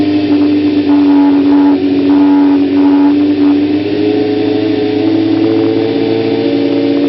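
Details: 1992 Kawasaki ZZR-600 (ZX600D), stock exhaust believed unmodified: catches and settles, then pulls smoothly up through the revs with an even, steady note. Healthy revving.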